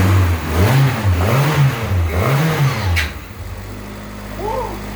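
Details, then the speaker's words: AWD Honda Civic EM2 with new turbo and new full 3-inch open exhaust (no baffles, ovalized pipe), just after first start: three quick clean rev blips rise and fall, then settle to an even idle; no misfire or ticking, very quiet and healthy. "Super quiet here. Listen. Yeah, it's got to spit out all that water, all that humidity and condensation. But it sounds good, dude."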